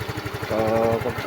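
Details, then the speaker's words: Yamaha Mio scooter with the ignition bypassed to test the regulator, relay and computer: the engine catches right away and settles into a steady putter of about ten beats a second; charging 10.5, relay and ignition coil okay; starts and idles normally. "Okay rin yung relay. Pagsipa niya, pag pindot mo, sumisipa kagad. Okay naman."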